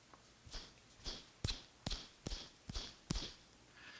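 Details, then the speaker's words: Old idler pulley removed from a BMW 335i belt drive, hand-spun at the microphone: dry gritty whir with a click at each flick, where a good one is silent; lost bearing grease, worn idler pulley bearing nearing failure. "it should be a hundred percent quiet the louder that it is the more grease that has escaped from the bearing and the sooner that it is likely to fail"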